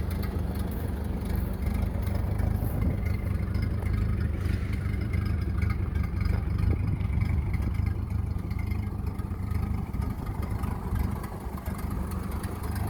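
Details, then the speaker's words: 1930 Ford Model A Tudor barn find, first drive out of its garage in 40+ years after head gasket, wiring harness and oil pan cleaning; steady low four-cylinder drone under load while driving, no knocks or misses over road noise; normal running. "finally out 40 years way out and running got it out for a little spin today we're in a tip-top things really good"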